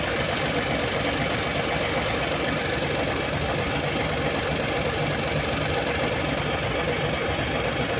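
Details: Hino 700 with E13C diesel, low power, rough idling and hard starting: uneven idle with an irregular knock about 79 times a minute, a rough stumble; misfire from malfunctioning injector #5.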